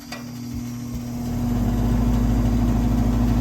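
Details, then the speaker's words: Garage gas unit heater, five-burner, firing during heat call: steady low drone swelling with buzzy vibrating rattle underneath; technician guesses a louver is vibrating, not confirmed. "now I'm going to look into a noise that this unit over here is making which makes kind of a vibrating noise"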